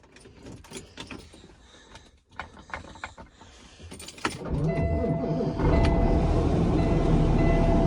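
After some handling, the truck's engine and blower run at a steady, even hum, with no rattle or noise from behind the dash.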